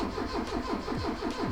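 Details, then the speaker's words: Mark III Ford Escort barn find, started on a jump pack after long wet storage, cranks steadily at about five pulses a second without catching; hard starting, owner adds choke. "definitely got no easy start let me try to choke out a bit"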